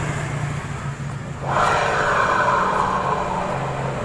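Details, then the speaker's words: Honda Vario 125 scooter, wheel turned by hand: rough gritty grinding with a faint ringing from the CVT area, from failed rear pulley bearings (91005-KVB-900 and 91109-KVB-901); CVT pulley bearing grinding. "Ada bunyi kemerosok di daerah CVT. Saat roda diputar ini ada bunyi kemerosok."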